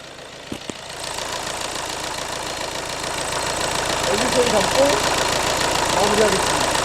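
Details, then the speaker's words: Volkswagen Tiguan diesel, brought in for unknown engine noise; timing was off by two turns, nearly hitting valves. After timing belt repair, the engine idles with a steady, even, healthy clatter, about four beats a second. Normal idle. "Heureusement, le moteur sonne maintenant. Je pense que ce sera normal et je pourrai le terminer."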